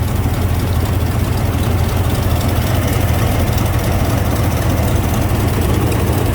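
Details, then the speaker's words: GMC pickup with old TBI 350 (possibly 305) V8, severely overheated until the engine locked up, now smoking with no radiator cap pressure: loud, rough low idle with uneven pulse about four beats a second; blown head gasket, engine to be replaced. "yeah that's not morning dew surprising that that's that's head gasket"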